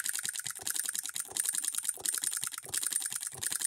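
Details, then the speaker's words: Hand-built Coilmotorworks solenoid hit-and-miss model engine, voltage raised back up, with a load held against it: quick regular clicking at a steady rhythm, firing every stroke with no skipped beats; considerably powerful for its size. "it is considerably powerful for its size and we do have a provision here for a pulley"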